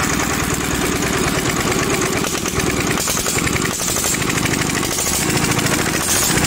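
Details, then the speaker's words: Overhauled Daedong single-cylinder diesel that was hard starting, running after the injection pump and injector were checked: a fast, even thumping beat with no misses; normal running. "Okay so yan napakaganda na po yung Buga mga par"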